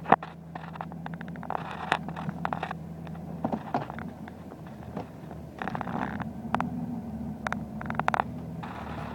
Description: Rough Idle on 2005 Dodge Ram Diesel. Only at idle. As soon as you step on the throttle it goes away.